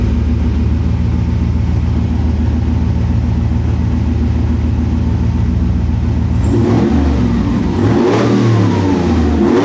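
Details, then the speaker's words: Scout with new custom-cut exhaust, first start, O2 sensors not yet fitted: steady deep idle then clean revs rising and falling, no puffing or ticking at joints, no leaks heard: healthy exhaust note. "I don't hear any leaks. I'm not going to let it get too hot. Man, that sounds sweet."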